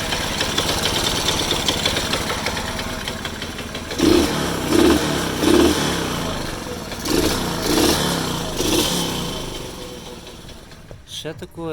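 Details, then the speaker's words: Alfa Delta moped two-stroke that won't hold idle, smokes, chokes and won't gain speed: rough surging, stumbling uneven bursts never holding revs; worn piston and cylinder with a piece broken off, found on teardown. "Мопед Альфа дельта давиться, дохне, не хоче набирати скористь."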